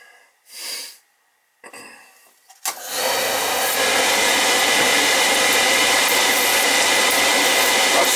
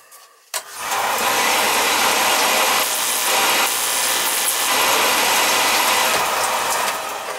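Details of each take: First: Oil burner after oil flow confirmed and transformer rechecked; clunky start then steady roar with lumpy, uneven flutter, not enough spark, transformer judged bad and to be replaced: weak ignition transformer spark. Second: Home oil burner that wouldn't start after the oil tank valve change, electrodes found loose and misset: sudden onset then steady loud hissing ignition buzz held evenly for several seconds; strong, consistent spark.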